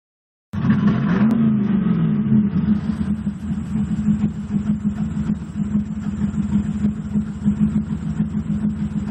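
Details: 1998 Pontiac Firebird Trans Am WS7 with new NGK plugs, new plug wires, a swapped known-good de-screened MAF and cats checked fine; quick blip, then a lumpy idle that stumbles and surges; misfire, cause not yet found.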